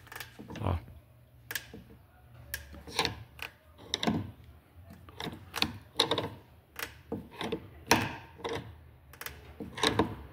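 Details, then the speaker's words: Honda Civic G9 1.8 16V: irregular dry creaks and cracks from the rear suspension over dips, caused by blown rear lower control arm bushings. "Na hora que você passa com o veículo nas depressão, ele começa a estralar, tá?"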